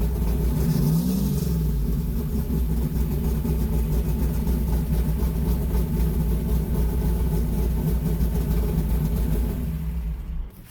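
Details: Deep, steady rumble settling into an even idle and picking up cleanly with revs, no knocks or ticks, from a big-block Mopar V8; normal idle and revving.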